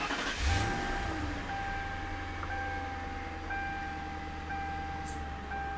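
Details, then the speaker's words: 2002 Ford Crown Victoria LX Sport right after programming both PATS keys; short starter whir, engine fires and holds smooth steady idle while door chime pings about once a second; normal engine start. "I've programmed both keys. Let's see if it starts."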